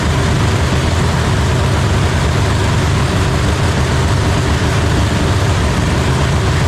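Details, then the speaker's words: Supercharged drag race engine idling after repair following major damage, injectors tested via ECU outputs: loud, deep, even idle with steady rumble, no knocks, misses or rattles; judged to sound healthy again. "Sounds good. Yeah, sounds healthy again. Huh? Sounds healthy again."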